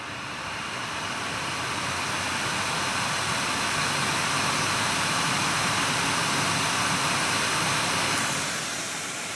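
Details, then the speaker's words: Nvidia GTX 980 reference card blower fan at 100%, about 4,200 RPM, microphone right up to card: steady loud rushing hiss, no rattle, scrape or wobble; healthy fan at full speed. "So that's 100%. And like I told you, it is around 4,200 RPM."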